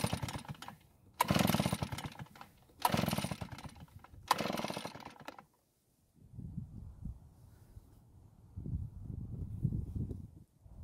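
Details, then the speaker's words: Nearly new Redmax EBZ8500 backpack blower that quit after 30 minutes of use and wouldn't restart: three cord pulls spin the engine with a brief whir but no firing at all; ignition failure suspected. "so it didn't even try and start now i have to wonder if the ignition system has somehow failed"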